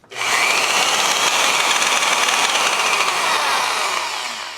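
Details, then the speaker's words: Milwaukee 5460 polisher/grinder after cleaning, regreasing and reassembly with pad fitted: loud high-pitched whirring with a rough, gravelly edge at full speed; the gear on the end of the armature is about 50% worn. "the greatest, but that gear on the end of the armature is definitely got about 50% of its life taken away from it already, but hopefully it'll last me the rest of my life."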